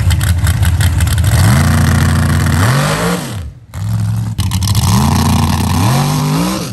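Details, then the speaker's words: Drag car on a shakedown pass: the engine revs hard in steps, then drops off abruptly with a rough clatter. The torque converter or transmission is suspected to have failed, not confirmed; drivetrain noise under load. "I don't know if y'all can hear that but I think you can converter in this dude just took a [ __ ] the better the transmission damn well that was a short trip"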